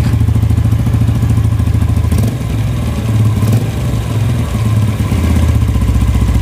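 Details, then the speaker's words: Yamaha Vega R New single-cylinder at idle; an uneven clacking rattle, about three to four per second, traced to a loose, worn clutch housing (clutch area). "nah masalahnya itu dimana ini di sini nih nih temen-temen koplak para ini sehingga pada saat stasioner itu ada bunyi klak klak klak klak klak gitu temen-temen"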